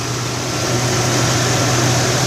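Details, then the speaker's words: 2001 Toyota 4Runner after alternator replacement and belt tensioning: steady even engine hum, constant low drone, no knocks, ticks or belt squeal; belt tight, engine idling smoothly. "Belt's good and tight, it's running smooth."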